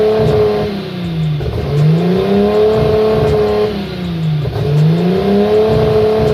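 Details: Nissan RB25 Neo with a high idle problem, during propane testing for vacuum leaks: idle hunts up and down about every three seconds instead of holding steady; no leak found in the tested area, cause unconfirmed.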